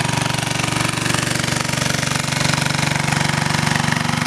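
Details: 2000 W generator running on woodgas with a heater/heat gun load: steady, even low thumping at constant pace, no surging or misses; holds load well but woodgas loses power, about 1000 W deliverable, reduced RPM near 50 Hz at 1400 W.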